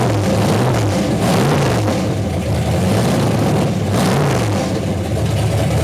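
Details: Freshly rebuilt 1992 Mercruiser 502 marine V8 (465 HP) on a run stand with a rebuilt Holley 800 CFM marine carb: a deep, even burble that swells smoothly with throttle blips. Running healthy and strong.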